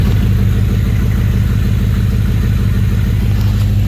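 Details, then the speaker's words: An E34 530i touring swapped to an M60B40 V8 with a 6-speed, off the road 7 years, idles low, smooth and even after a replacement idle valve went in (the old one had an open-circuit fault); no hunting or misses. "know if you can hear me but it seems to be idling great"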